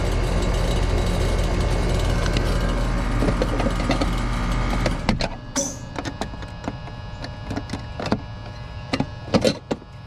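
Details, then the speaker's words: Goodman AC condenser on a no-cooling call, 244 V supply: compressor runs with a loud, harsh labouring drone like rocks in a can for about five seconds, then stops with scattered clicks; system is bone dry, with no refrigerant. "that compressor does not sound good I don't know if y'all can hear that sounds like rocks in a can this system ain't got no gas in it"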